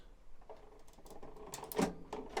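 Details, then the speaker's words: High Pointe EM929AQR microwave: a few crisp, firm ticks in a quiet room as the door closing mechanism works a newly installed door switch; the switch clicks cleanly, though replacing it didn't fix the fault. "Now you notice, and if you listen very carefully, you can hear a nice firm click out of the new switch."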